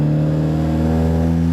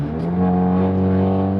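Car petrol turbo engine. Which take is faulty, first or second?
first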